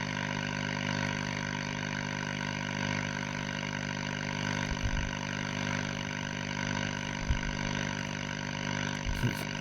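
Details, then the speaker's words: Scharnberg Strauss radiogram on external antenna, about 200 volts: steady hum and hiss with flat crackly hash, no stations received; RF present but oscillator suspected not running. "Sounds like we've got RF, but uh but we've got no stations. We may not have an oscillator running."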